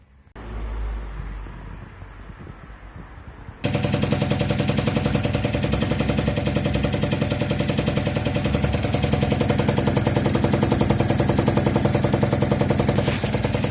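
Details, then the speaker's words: Two-stroke scooter after cutting open its Polini exhaust to remove a loose internal part that rattled like maracas, pipe rejoined and refitted; sharp, even crackle with no rattle from the pipe: normal running after repair. "T'as vu, le bruit il reste correct."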